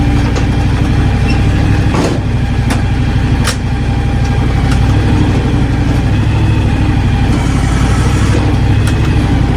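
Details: John Deere X724 tractor running with 54" snow blower; loud, even engine drone with a steady low rumble, no knocks or grinding; blower runs smoothly and sounds healthy.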